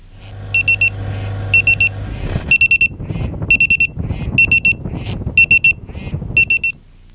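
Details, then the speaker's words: Tocsin 3 portable carbon monoxide detector alarm in flight: shrill four-beep bursts, about one a second, loud enough to cut through the steady piston airplane cockpit engine drone. "it beeps at you and the beep is loud enough that even in a noisy piston airplane cockpit you can hear it"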